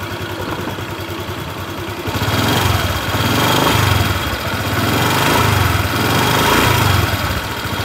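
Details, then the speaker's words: 2021 Honda New Vario 150 FI scooter, listening at the main engine center: revs rise and fall with a slightly coarse, gravelly rattling edge on throttle; mechanic says this rough engine sound is common to 2021-onward Vario 150. "teman-teman bisa mendengarkan suara mesin pada motor Vario ini ya teman-teman jadi suaranya sedikit agak kasar sepertinya ngerenyek-ngek seperti itu ya nger nger nger gitu pada saat kita tarik gas ngernya itu cenderung ke reyek ngenyek seperti itu ya teman-teman"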